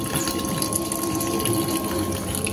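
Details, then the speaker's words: Honda CB150R LED, key on, engine off: steady, unbroken fuel pump hum with fuel gushing from the line; pump never shuts off because the faulty ECM keeps commanding it. "Nah ini nah ini bensinnya mengucur terus menerus ya Mas ya eah dan full P ini kedengaran dengung"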